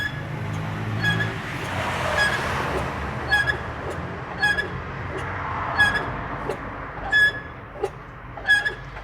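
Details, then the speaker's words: Hyundai Tucson 2.0 2011: rough metallic scraping from the rear whenever the brake is pressed, moving or stationary, pulsing about every second and a half as wheels turn; worn rear drum brake shoes scraping the drums. "Hyundai Tucson 2.0 2011 com barulho no freio tá na hora que você pisa no freio andando com ela ela faz tipo um alguma coisa raspando aqui na parte de trás tá"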